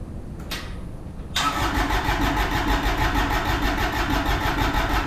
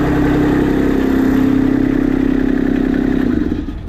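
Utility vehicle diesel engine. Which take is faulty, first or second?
first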